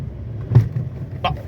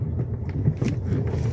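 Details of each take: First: Fiat Argo HGT 1.8 with 115,000 km, driven a bit faster over speed bumps: dull thump then sharper knock over road rumble, suspension clunk suspected from the stabilizer bar. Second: Fiat Argo HGT 1.8, 115,000 km, on a road test after a stabilizer-bar suspension noise fix, new heat exchanger, coolant, oils and filters: only a soft low rumble over a speed bump, with no knock or clunk from underneath. Gearbox shifts perfectly. No suspension clunk.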